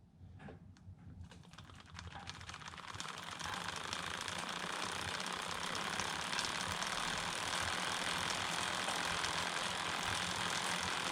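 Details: DIY carbon fiber recumbent bike, chain on 39 front and 11 rear, camera one hand length away, idler chain keeper removed: a soft, even whir with light ticking. Removing the keeper greatly reduced the noise.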